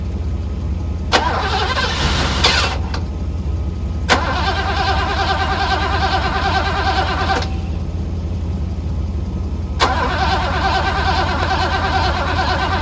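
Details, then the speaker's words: 1985 Mercedes W126 SEC, restoration Part 1, left unworked about 2 years: three several-second bursts of even starter cranking, never firing, even with relay ports 7 and 8 bypassed; owner guesses fuel pump, possibly fuel pressure, unconfirmed. "All right, so I guess it's the fuel pump problem."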